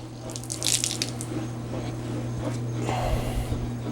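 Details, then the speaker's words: LG WT1101CW direct-drive washer, after replacing the control board relay whose sticking contacts kept the drain motor running: low steady hum under splashing and gurgling as the last water drains during spin; normal drain pump run that stops when it should. "okay drain motor is still on and it's still in a spin cycle let's make sure it actually goes off because that was the problem we first got it right"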